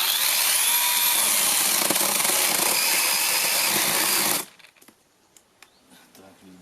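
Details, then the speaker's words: Fake Makita DUC 302Z brushless cordless chainsaw, previously cutting out and not pulling, tested after repair on one battery cutting wood with the full bar: even, strong motor buzz holding speed, one cut-out likely from the wood; normal cutting under load. "Як ви бачите, я заганяв на всю шину. Вирубилася раз, тому що попала на мабуть деревина. Все працює, навіть на одному акумуляторі, тому тест пройдений."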